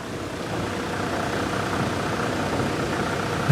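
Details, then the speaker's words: 2000 Toyota Land Cruiser VX100 with a turbo timer, idling with the bonnet open and described as well maintained: a smooth, steady idle with a soft even hum and no knocks or rattles. Normal idle. "ini adalah suara dari Land Cruiser VX100 yang pastinya terawat dan mobil ini udah pasti cakep. Suaranya aja udah seperti itu."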